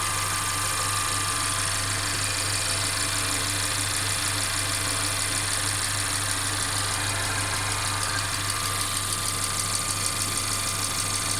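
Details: Mercedes CLA 250 engine at idle: an intermittent faint clacking over an even idle that grows sharper, cause unknown. The car also stutters when accelerating after long slow driving.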